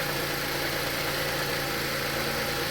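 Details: 2013 Chrysler 200 after a cold snap, stethoscope/pulse sensor touched near the alternator bearing, which bolts to the power steering pump: constant dry whirring rumble from the front accessory drive at idle; alternator clutch pulley going bad.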